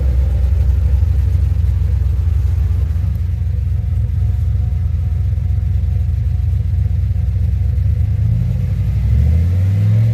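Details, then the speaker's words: 2007 GXP with Sloppy Stage 3 cam, VATS and DOD deleted via HP Tuners, first start-up after retightening loose front rockers: deep lumpy V8 rumble rising and falling smoothly with throttle, no ticking or popping; loose-rocker popping fixed, healthy revving. "okay hey well she fired up and she's not making the popping noise so it was definitely those rockers being loose on the front"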